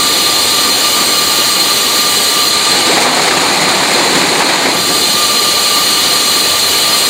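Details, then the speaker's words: Fisher control valve in a cavitation demonstration rig with extra air aspirated into the line to cushion bubble implosion: steady, even hiss of water with no sharp crackle, cavitation noise reduced by air aspiration. "in extra air into the line and that air will combine with the cavitation first to cushion the implosion of those cavitation bubbles and also to mitigate some of that noise that is developed because of the cavitation. So you'll hear that there'll be a lot less damage and a lot less noise that would occur in that case."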